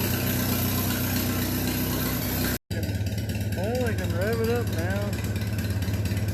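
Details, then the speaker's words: Minneapolis Moline BF tractor engine after in-frame rebuild for heavy blow-by (suspected ring job), running: settles into steady even low putter with no knocking or misses; sounds healthy. "Able to do that before. Sounds pretty good, eh?"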